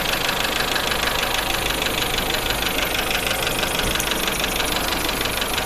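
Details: Suzuki APV four-cylinder petrol engine idling unevenly with a stumbling beat about three times a second, an engine misfire.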